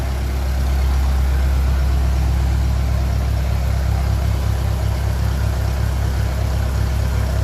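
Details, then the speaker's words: 1957 Ferguson 35 TVO tractor warming up after the offending push rod was removed to cure a bad tappet noise: low, steady chug at a slightly raised idle, even beat, no tapping from the top end. Normal idle. "But now, I took out the offending push rod. Hopefully that's going to sort it. That sounds very good now."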